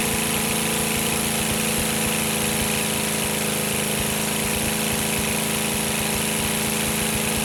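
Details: Rebuilt GEP/Navistar 6.5 diesel (GM design, block cast 2009; Scat crank, bored 30 over, moly pistons and bearings) with Stanadyne DB2831-4911 injection pump, warming toward 180°F; even, steady clatter at settled idle, no misses or knocks; healthy.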